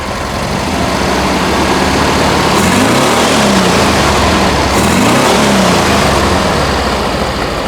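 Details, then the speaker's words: 1971 VW Bus 1600 flat-four with new 34 ICT/EPC dual carbs and exhaust, carbs being balanced: steady exhaust beat swelling smoothly with throttle and settling back; healthy, no misses or knocks. "right on 30. This exhaust always sounds good."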